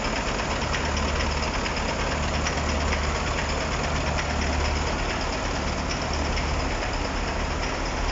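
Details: KamAZ-6520 chassis truck diesel at first start after a major overhaul: deep, steady idle with slow, gentle pulsing, no tapping or rattles; rebuilt engine running healthy.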